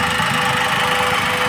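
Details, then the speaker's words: Maruti WagonR, company-fitted CNG/petrol, switched to CNG after warming a little: steady even hum, silent, no stumbles; normal smooth idle on CNG, while it misfires on petrol. "अब दिखाता हूं मैं गाड़ी में आपको ये देखिए गाड़ी बिल्कुल ही साइलेंट है यहां पे देख रहे हो ना आप"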